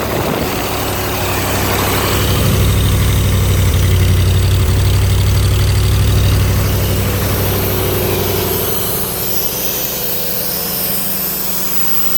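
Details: Ford 302 V8 driving an air compressor, after a tune-up with new plugs, plug wires, cap and rotor and a new fuel pump; steady, even beat at fast idle, smooth pulses with no stumble or knock, running healthy.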